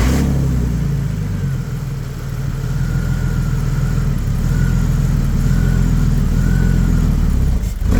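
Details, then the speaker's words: BMW E46 330ci revived after sitting abandoned over six years, now with a new MAF, ICV and radiator. A deep, loud, boomy exhaust note as the engine revs and settles, because the catalytic converters are missing. "This is the reason it's so loud. The cats are missing from there, but they are not missing from here up there."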